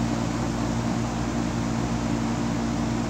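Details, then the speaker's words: Four-ton Goodman AC condensing unit, condenser fan motor replaced with a second-hand fan and capacitor. Steady, even hum with smooth fan rush and no rattles, squeals or clicks; unit runs well for its age after being wrongly called beyond repair. "as you can hear say presto working she's actually sounding quite in good condition compared to the age of her"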